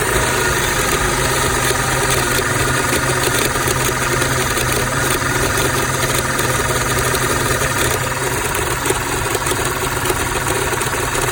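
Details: 2006 Audi A6 idling rough, noticed two days ago along with power loss at low speeds; owner asks whether the PCV valve is to blame. Steady but lumpy idle with a faint knocking undertone that never settles. Cause unconfirmed.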